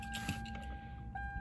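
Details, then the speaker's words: Lexus LS400 power tilt steering column motor strains to drop the column, which won't move. Faint steady gear whine with light clicks. Owner theorizes the motor's worn gear has shifted over and needs a spacer; the motor is weak and worn. "it just tried to drop down but it wouldn't if we may do it we get that gear gear wine so it's the motor in here"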